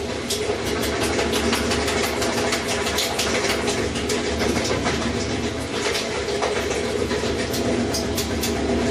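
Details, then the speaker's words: Whirlpool washer on spin cycle with fast, uneven knocking and clattering over a loud hum as the tub hits the cabinet; the tub suspension spring is the suspected cause. "if the washer sounds like the tub is hitting the cabinet when the washer is on the spin cycle"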